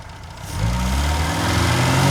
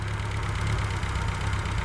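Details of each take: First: Reliant Fox engine, hot, with the thermostat removed so coolant now circulates through the radiator and it is not overheating; it catches, swells, then sags and hunts rather than settling. Unsteady idle. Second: Reliant Fox engine fully off choke, warm, with the fuel and cooling systems now sorted, before setting the ignition timing; smooth, even low idle with a steady beat and no knocks or misses, sounds sweet. Normal idle.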